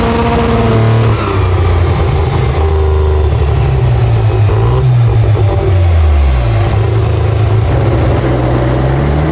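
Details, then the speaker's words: 1997 Mazda RX-7 FD3S Bathurst X, rebuilt half-bridgeport rotary with Garrett GT35 turbo and Haltech ECU, on dyno: pulls hard under boost, then near 6000 rpm power collapses to the bottom and fuel cuts, revs climb again; cause not yet known. "you can hear and see on the graph that when the Boost goes up to around 6000 RPM it just entirely drops to the bottom and it just fuel Cuts"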